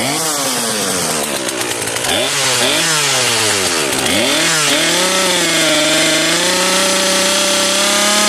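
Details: Cheap modern chainsaw, a marketplace find, just pull-started on fuel left in its tank: a high two-stroke buzz dips and recovers a few times, then holds a steady pitch. The carburettor is working. Normal running.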